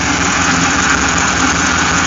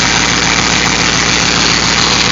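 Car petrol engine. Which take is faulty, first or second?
second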